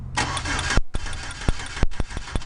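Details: 2004 Chevy Silverado with a 4.3L V6 during a spark test: the engine spins over on the starter in short bursts with a steady cranking rhythm but never catches; crank-no-start.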